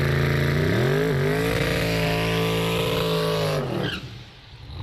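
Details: 365 cubic inch LS twin-turbo Fox, 7275 turbos, Powerglide, newly on methanol, at higher boost: pitch climbs hard then flattens and hangs; one bank lean, wideband sensor suspected misreading, losing power at high rpm.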